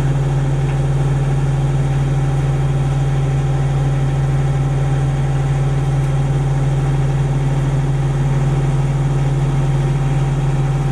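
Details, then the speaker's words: Denyo DCA-15SS-N diesel genset, 1.6 L 3-cylinder Nissan diesel (18 PS at 1500 rpm), over 30 years old, idling warm after its first start in years: steady even thrum, constant low hum, no misses or knocks; normal idle. "I guess it's running perfectly that's a really really real reliable little machine we have this thing since the mid-80s and it never lets us down"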